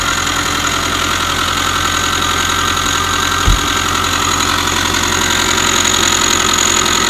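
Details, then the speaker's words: 2005 Subaru Forester 2.5 boxer SOHC, long dog-whistle noise then knocking after a botched timing belt job: steady raspy whir with quick uneven ticking at idle, inside timing belt cover; tensioner or idler pulley suspected. "Hear the noise in there. Touch it on the timing belt cover. And there it is. It's inside the timing belt cover."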